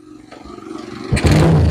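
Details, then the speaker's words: Honda GL Pro motorcycle previously losing ignition, after checking the CDI and coil wiring and refitting the spark plug: the electric starter churns briefly, then the engine catches at once and settles into a steady running note; starts cleanly. "ini mata langsung bisa hidup Ini motor sudah bisa hidup"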